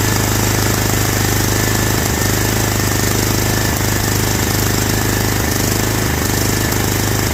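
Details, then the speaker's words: Toro Wheel Horse 265 garden tractor with fairly new gas in the tank but no fuel coming through the line: steady single-cylinder chug with brief dips and catches, running only on float-bowl fuel; fuel starvation. "all right we got no gas coming through there whatsoever which means it's running off of what's in the float Bowl right now"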